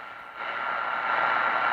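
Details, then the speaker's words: Man-made power-line interference (QRM) on a shortwave radio tuned near WWV at 15 MHz indoors near lights: harsh broad-spectrum buzzing static with a thin steady tone, S5 and above. "and you can hear that buzzing sound and really it's throughout the the spectrum was just broad spectrum"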